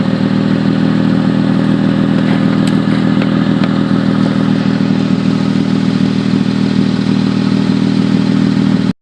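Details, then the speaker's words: Recently bought car at idle: loud, raspy, blatting exhaust with a motorcycle-like crackle from gas escaping through a broken resonator ahead of the catalytic converter, with heat underneath. Seller suggested the catalytic converter. Exhaust leak from broken resonator. "so i just bought this car and it is making a uh a lot of noise sounds like a motorcycle or something"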